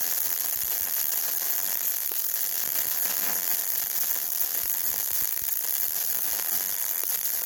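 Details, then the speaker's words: Yeswelder MIG-Pro250 with 0.035 wire welding long beads on beveled 5/16 scrap steel plate: a steady sizzle with occasional pops where the arc hits rust, likely impurities causing small holes (porosity) in the bead. "every now you turn every now and then you'll hear a little bit of a pop sound and that is me getting into a little bit of the rust so it's impurities and that pop is most likely a little hole in the bead called porosity"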